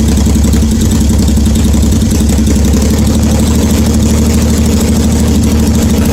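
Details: 1981 Yamaha XS850 Special motorcycle, first start after carburetor rebuild, cold on full choke: loud, blatty low rumble with a slightly uneven beat at fast idle; loud because no exhaust tips are fitted.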